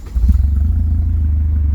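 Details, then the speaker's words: $3500 DSM after adding ground jumper from gator clip to engine bolt: engine catches and settles into steady even low rumble, no smoke, shaking or fuel smell, revs normal; bad ground wire suspected as the issue. "Look at that. One's like a dream. doesn't sink like fuel anymore. It's not blowing smoke. Not shaking terribly. Revs like normal."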